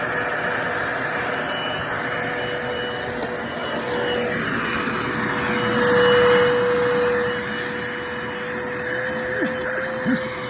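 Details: Bissell Lift-Off Revolution Turbo Select 3760-T bagless upright vacuum (made October 2005), running with brush-roll motor on when reclined: steady roar with constant mid-pitched whine, no surging; indicator half red before hose blocked, owner suspects a clog, unconfirmed.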